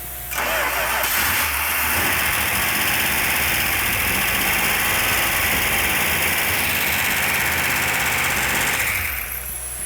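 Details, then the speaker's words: Freshly built 1971 Dodge Demon 340 Six Pack V8, first start-up after distributor timing adjusted: quick catch, busy even idle with light top-end clatter; slightly noisy valve train, normal. "valve train is a little noisy which is normal try it again"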